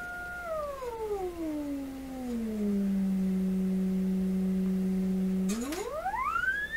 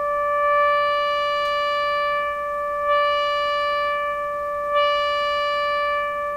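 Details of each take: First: Florida AM/FM/SW tube radio being checked for low output and distortion, running on low voltage: a pure test tone sweeps down and up with no buzz, crackle or rasp, so output is clean at this level; distortion appears once the receiver volume is raised. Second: Florida AM/FM/SW tube radio on record-player input, receiver volume raised from about 20%: steady test tone around 600 Hz gains a sharper buzzy edge of added higher harmonics as volume rises; distortion, while troubleshooting low output.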